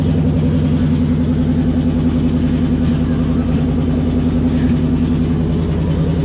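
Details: '97 Cobra with exploded clutch; loud, rough, uneven drone with coarse pulsing beat at idle; abnormal engine running noise, cause unclear.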